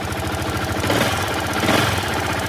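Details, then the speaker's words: Yamaha R15 V2 just started at idle: fast, even tappet ticking about ten times a second, the tik-tik-tik sound, typical of loose valve tappet clearance; the planned fix is removing the tappet cover and adjusting the tappets. "Tick tick tick করে sound করছে।"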